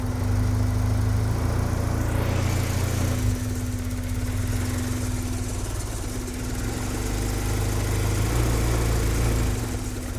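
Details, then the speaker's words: Turbo Acura Integra project car first start after new injector install and tuning, following an 1,800-mile road trip; lumpy, hunting, stumbling idle, running very rough, likely from ignition timing reset because the service connector wasn't jumped, fixed by adjusting timing. "It's running really rough. I don't know what's going on. That's weird, man."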